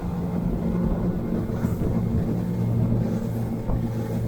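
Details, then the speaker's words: Outboard boat engine trimmed out further: steady drone settling into a smoother, freer hum as revs climb with less hull drag; normal efficient running. "I'll get heaps more revs."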